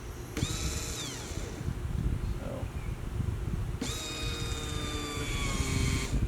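A steady high electric whine comes on, settles briefly, then returns evenly: the new fuel pump is priming normally.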